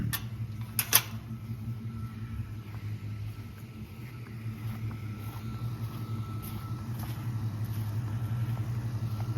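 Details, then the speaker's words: Engine, oil pump/pan not replaced, warming up on a 61°F morning: steady low idle hum, even beat, ticking gone, oil pressure now up; engine runs smooth and sounds healthy. "Sounds good now, nice and smooth. So the oil pressure's on now."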